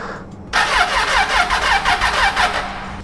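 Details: Triumph Tiger 800 with battery recently replaced: starter turns slowly at about three uneven pulses a second, labouring, and the engine never catches. Weak crank, no start; owner suspects the starter motor.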